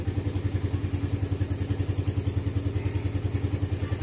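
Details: Suzuki Satria FU single with PE 26 carburetor, cold engine on choke after electric start: crisp, regular thumping idle about three and a half beats a second, steady and even; running fine.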